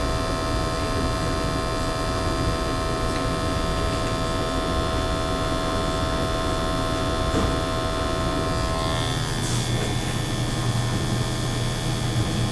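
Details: Natural gas boiler with high CO levels flagged in an energy audit, after burner cleaning: steady, even burner roar with a constant low hum, no surging or popping; firing cleanly, CO PPM coming down.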